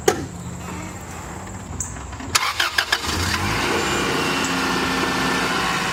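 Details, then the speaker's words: 1997 Acura CL 2.2L F22B1 VTEC, hood open, before the exhaust header gaskets are replaced: engine cranks and catches, then settles into a loud, raspy, spitting idle; exhaust manifold gasket leak. "it's so loud up here it's probably yeah mainly it's probably not even going to be tonally it's just going to be volume yeah well it it should be less like spitty and raspy too"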